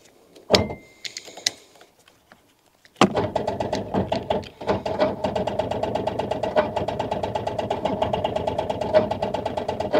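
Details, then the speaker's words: Rover 800 with turbo engine, sat 15 years in brambles (turbo spins free): after a door clunk, the starter churns in quick, uneven dragging pulses, the engine slowly freeing off. Owner suspects a locked-up water pump. "Sounds like it's slowly freeing off. Is it spinning over? Is it not? It looked like it was spinning over earlier, but it doesn't sound very good at all."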